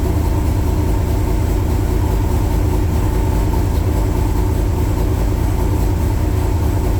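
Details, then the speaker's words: 1966 Chevrolet Corvette Stingray carbureted V8, cold start in January at about 11–18° outside after 10 dry and 10 cranking throttle pumps. Steady, fast low rumble on the high idle step with no knocks or misses, before the idle is brought down. "it's on high idle you know give it a little bit once it gets high high like kind of now I'll crank it down"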